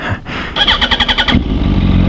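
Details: Motorcycle with a new Bike Master battery: about eight quick starter cranks in under a second, then it catches at once and settles into a steady idle. A clean, healthy start.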